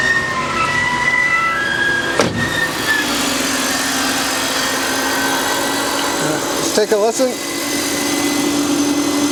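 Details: 2000 BMW 323i at idle right after starting, with an odd noise from the front of the engine: a steady high scream over the idle from a seized idler pulley, fixed by replacing the idler pulley and belt.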